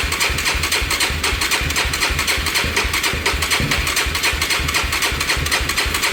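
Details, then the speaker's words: Yamaha YFZ450 that had shut off and supposedly lost spark (spark confirmed at coil, getting fuel), cranking with choke and some gas: slow, labouring chug about four beats a second that never catches; starter dragging on a nearly flat battery. "Sounds like it wants to start up. Let me give it some gas. This battery sounds like it's about to die."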